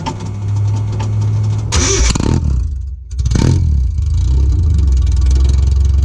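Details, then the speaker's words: Open Doug Thorley tri-tube header with no exhaust pipe fitted on a 1986 Nissan 720 pickup, driven slowly to the exhaust shop: very loud, raw, blatting roar that cracks sharply on throttle blips; unpleasant. "so if you guys want to hear what open with the open header sounds like it's not pleasant so if you've got your headphones on you want to turn the volume down now"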